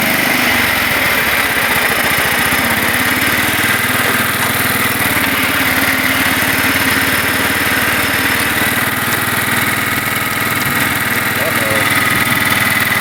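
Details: Kohler Command 12.5 OHV single-cylinder engine after coil replacement for warm stalling: steady speed, even unbroken beat, no misses or surging; runs fine after repair, kill wire not yet reconnected.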